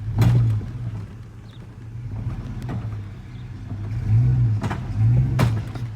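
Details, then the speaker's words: 2002 Chevy Silverado, believed 2500, driving slowly: low rumble with heavy thumps while turning, quiet when straight; driveline clunk, U-joint, driveshaft or differential suspected. "I think it's 2500, but this makes some noise when I do turns."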